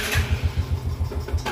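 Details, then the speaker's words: Yamaha Jupiter Z, fine cold but stalls when hot: after a sharp throttle blip and release, throbbing pulses slow and die. Power is weak on climbs and air seems pushed back toward the carburetor. "nah ini saya gas ya kayak sentak ya Nah dia langsung mati Oke saya gas ya Nah dia langsung mati seperti"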